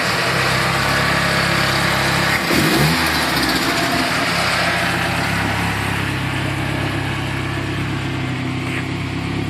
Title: Turbo ranger making strange noises.